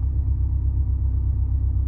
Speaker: 8° timing Advance 900 RPM which is not far off that at all